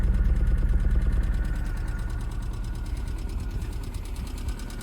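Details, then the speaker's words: Cheap budget race car that sat a while, first start: low lumpy idle with loping uneven beat and missing pulses, settling slightly; flashing check engine light, owner suspects misfire, possibly stale fuel. "got a bit of a t but it's also got a check engine so I got a feeling it's misfiring"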